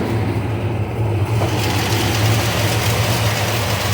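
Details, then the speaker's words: 1971 Plymouth Road Runner V8 started after sitting a while, new alternator and battery, oil pressure good: steady low idle rumble with faint irregular ticking puff; headers fitted a couple years ago are leaking. "Like I said, I did the headers, but they're whipping a little bit. You can kind of hear that leak."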